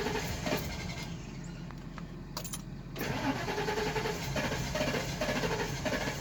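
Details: 2004 Ford E350 started after sitting: engine cranks a few seconds, then catches into a rough, uneven idle and smokes heavily; hard start.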